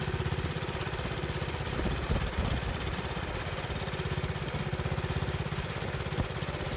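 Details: 1970 Bolens 1253 garden tractor, single-cylinder, warmed up after first run in years on a drive: uneven loping chug, speed hunting, revs up a lot when load removed, possible governor problem; occasional blue smoke, valves suspected.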